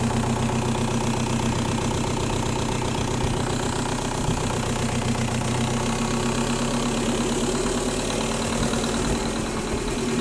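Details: 1.9L M-TDI diesel with a fuel problem. Continuous sharp clatter over an uneven idle; injectors are suspected of knocking, but which one isn't proven: diesel knock.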